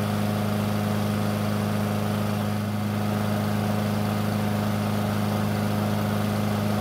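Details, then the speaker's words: Free curbside Blackmax mower that would not start, now running after a bad spark plug was swapped for a used factory plug: smooth, even buzz at constant speed with no misses or surging, healthy. "well if I think that pretty much confirms my worst fear this engine only needed a spark plug to run"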